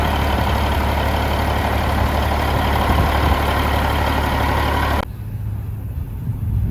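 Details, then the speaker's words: Old 379 10-wheel dump truck with a Cat engine, believed but not confirmed to be a 3406A: a deep, steady diesel rumble at idle, even and without knocks. Normal idle. "I like this old truck. Man, it sounds good."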